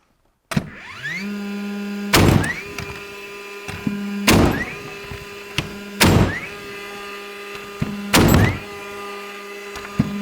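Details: DeWalt cordless flywheel framing nailer at max depth, single-shot mode: motor spins up with rising whine, then a sharp thunk every two seconds per nail; four clean shots, working normally.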